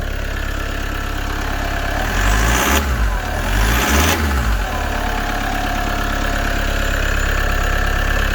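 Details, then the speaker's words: Rebuilt Toyota Hiace with 720,000 km, started after the work was bolted up. Cranks, catches and settles into a smooth, even idle with no misfire or hiss; the engine light has gone out. "The engine light's gone. Wicked."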